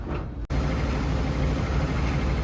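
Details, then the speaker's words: Whirlpool Duet HT front-load washer during spin: heavy low rumble and thumping as the drum shakes violently, traced to four worn shock absorbers (2 front, 2 back) before replacement. "So here it is in action. Shaking pretty good."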